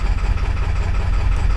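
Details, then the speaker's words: Ford 7.3 Powerstroke diesel: heavy low idle lurching and pulsing unevenly, clearly rough and misfiring; owner suspects a bad connection inside the valve cover, driver or passenger side, not confirmed. "still running like Duty like dookie dookie that's probably not good for my engine Jesus that is awful"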